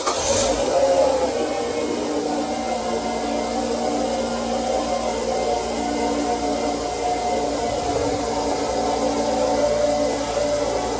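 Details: 2003 Mazda 6 2.3L with stalling/surging idle, codes P2187 and P2177 lean, started after throttle body and intake/PCV hose work: steady, even, smooth idle with no hunting or stumbling; normal idle.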